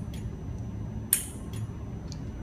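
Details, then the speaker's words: Honda OBD1 ECU (Hondata S300/Neptune RTP) bench test: system armed via 12 V switch, ECU triggers nitrous relay once throttle position passes 80 threshold; single sharp solenoid click near one second: normal nitrous solenoid activation. "that's the ECU turning on the nitrous relay based on the parameters that we set up"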